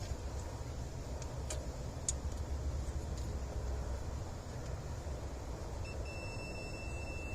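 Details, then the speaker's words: Bobcat 763 with a flickering lap bar seat light: the continuity tester gives a steady high beep over a low hum as each sensor-to-controller wire tests good, so no break is found. "Alright, I got my continuity testers here. Alright, that one's good. That one's good. And that one's good."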